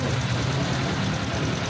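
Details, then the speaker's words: Honda RS125 FI after repairing the cam chain tensioner, whose spring had gone missing (tensioner bolt was opened by mistake instead of drain plug at oil change): steady, even low idle with no ticking or knocking; quiet and normal. "Okay na. Yung spring na wala. Nag-missing yung spring. Yun. Okay na to mga karide. Tahimik na."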